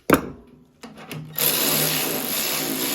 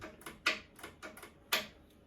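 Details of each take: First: Ariens 1336 Pro snowblower electric chute motor after cost-free teardown repair; smooth, even high whir for a few seconds with no grinding or stutter, then stops; sounds healthy, chute motor working. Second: Ariens 1336 Pro snowblower electric chute motor clicking but not turning; sharp dry ticks, about six in two seconds, no spin-up or hum; power and ground later confirmed good with test light, motor suspected stuck.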